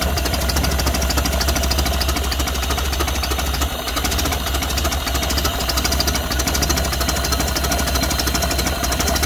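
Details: 1931 Ford Model A flathead four, 200.5 cu in, after sitting 67 years. Carburetor and internal filter cleaned after flooding; slightly choked. Slow, even low idle with a soft steady putter and no knocks, misses or surging. Sounds healthy.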